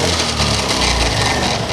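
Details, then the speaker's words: BS6 Honda Activa scooter, engine revved hard then released: dry crackling rattle as revs fall; mechanic suspects failed gearbox bearings or gears catching near the kick rod, unconfirmed, clutch to be opened. "కరకర అని sound వచ్చేస్తుంది మళ్ళీ ఒక్కసారి ఇంకొకసారి so ఇదైతే gear box లో బేరింగ్లు అయినా ఖరాబ్ అయి ఉండాలి"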